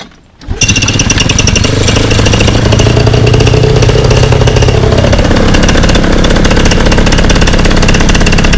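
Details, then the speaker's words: Fresh Breeze Monster paramotor, back from repairs, full-thrust run pushed against a house wall: loud, steady high-rpm buzz with no burbles or missing, a little bang at the end; normal full-throttle run. "Wow, other than that little bang at the end there, that sounded amazing, did it not? It ran high at high RPM, seemed to be steady. There wasn't any kind of burbles or missing."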